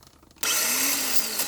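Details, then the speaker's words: Toyota Wish starter motor bench test: high whirring spin-up with faint grating as the pinion only extends halfway, not to the outer edge, so it can't engage the flywheel reliably; starter faulty, intermittent no-start with a click. "你可以看到，这启动马达，它只能弹射到中间而已，它没有办法弹射到最外缘。这个就是这启动马达有问题，也可以听到它的声音不是很正常。"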